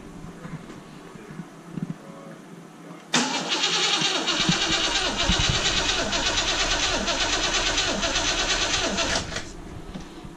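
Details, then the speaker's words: Petrol Rover V8 in a 110 Defender build, compression test with one spark plug removed: even cranking at about three beats a second, no weak strokes; reading just under 10 bar, about 145 psi, pretty good. "almost exactly just under 10 bar just about 145 psi which is pretty good"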